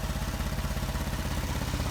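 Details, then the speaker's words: 2014 Ford Transit 3.5 after about 30 minutes of running following belt tensioner replacement: steady, even idle with no squeal or chirp; the noise was the tensioner, an aftermarket part that likely failed in under a week. "It's been running for about maybe 30 minutes now or more. I turn it off, on and off. No noise. So, it was the tensioner."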